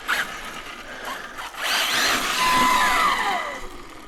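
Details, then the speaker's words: Arrma Felony RC car, two years old, on brand-new tires, running. A high, thin whine climbs and falls with throttle, smooth and even; healthy brushless motor and drivetrain. "it's an awesome looking RC and this thing sounds absolutely amazing"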